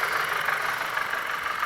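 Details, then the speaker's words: 2012 Chrysler 200 Limited 4-cylinder with check engine light, running rough: uneven, lumpy idle with irregular stumble; unplugging coils one and two isolates misfire to a failed ignition coil. "unplug number one see the difference and that way unplug number two misfire isolator we have a back boil"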